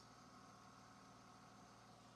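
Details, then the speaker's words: Crashed BMW E36 idling after fitting a replacement battery, fan clear, no leaks: quiet, even idle with steady low hum, no knocks, misses or hunting; engine running normally. "Okay, so we're good. It's just It works. We needed a battery."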